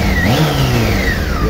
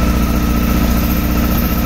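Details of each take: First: 2007 Honda Hornet 600 four-cylinder after throttle body synchronization and fixing a leaking vacuum hose on cylinder 1 that caused misfiring and poor idle: revs up cleanly and smoothly, crisp even throttle response; healthy. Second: 2007 Honda Hornet 600 misfiring and not holding idle during synchronization idles with a slightly uneven low throb and thin steady tone; cylinder 1 dropping, vacuum hose punctured by a screw and leaking.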